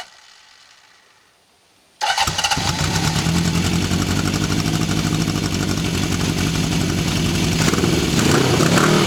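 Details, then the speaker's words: 1974 Honda CB750 Four test run: after a quiet start it settles into an even idle that rises cleanly with throttle; no ticking, knocks, piston slap or valvetrain noise; runs better once warmed up. "Motor sounds good with no ticking, no knocks. Can't hear any piston slap, any valve train noise. It sounds pretty good."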